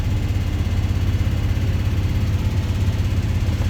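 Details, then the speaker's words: 48-year-old GMC squarebody C25 truck after a tune-up, cold idle on choke: even low rumble with a steady quick pulse, no knocks or misses; choke, fuel gauge and speedo working; normal clean cold idle. "Choke's working. Fuel gauge works. Speedo works."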